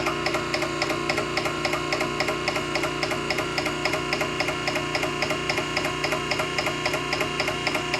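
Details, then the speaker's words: Nugier Co. 100-ton hydraulic press pump running: even light ticking about 3.7 times a second over steady motor hum, no grinding or knocks; motor sounds good, no weird noises, normal running. "It sounds good. Motor sounds good. No weird noises."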